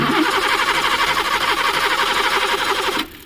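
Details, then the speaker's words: Maruti Suzuki Eeco on CNG/petrol: engine catches, runs roughly at fast idle about three seconds, then cuts out abruptly; dashboard lights fine, mechanic blames the gas-petrol changeover switch and plans to open it and adjust the gas/petrol lines directly. "যত গন্ডগোল আমার এই gas petrol সুইচে। গাড়ির case দেখো, engine ঘুরছে কিনা দেখো, গাড়ি কিন্তু স্টার্টে থাকছে না।"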